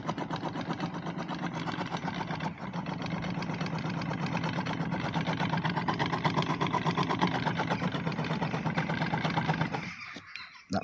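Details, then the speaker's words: DIY 12 V electric kayak outboard motor running with propeller fitted: steady motor hum with rough rasping grind from a bit of RTV silicone stuck down the shaft tube, to be removed. "You'll hear it grinding a bit. There's a bit of RTV rubber got stuck down the pipe, but that's going to come out."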